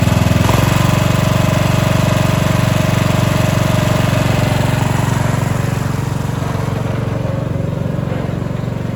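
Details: Cub Cadet 2146 lawn tractor, 14 hp Linamar single-cylinder, running after sitting 3 years, started at full throttle with a boosted battery and frozen choke; it thumps at a firm, regular three beats per second, then eases down smoothly; normal running.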